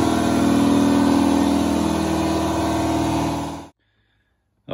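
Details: Ingersoll Rand 60-gallon air compressor running with its original stock intake filter refitted, for comparison against a Solberg FS15075 housing that sounded deeper and more hollow. Steady loud pumping drone about four beats a second, even until shutoff; normal running.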